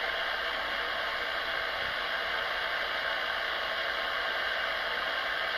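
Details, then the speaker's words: AM radio clock beside a desktop computer being switched on: constant hissing static with a faint buzz and no rhythm; interference from the computer booting Windows. "happens when I turn on the computer you can hear the computer winding up what's gonna happen Windows causes interference"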